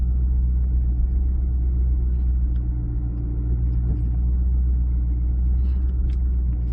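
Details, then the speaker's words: 2014 Chevy SS at speed after installing the GM shim kit and fresh copper paste on the rear Brembo brakes: steady low road rumble with no squeal or scraping, so the rear brakes now run quiet. "I'm not hearing anything, guys, so I think we're good."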